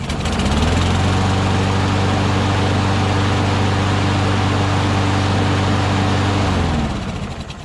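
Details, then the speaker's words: Mower after oil and gas check, with messed-up bail handle linkage: starts on the first pull and settles into a smooth, even drone with no surging, then winds down cleanly; runs healthy. "it started on the first pull also you know i don't know if the self-propulsion works"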